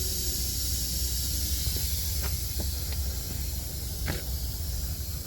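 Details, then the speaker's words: Freightliner semi truck, microphone under the dash: steady high airy hiss runs unbroken with no pulsing when the brake knob is pushed in, a constant air leak suspected at the parking brake valve; brake air switch valve replaced. "Little air leak. So it's coming from up there too, though? When you push that knob in, yeah."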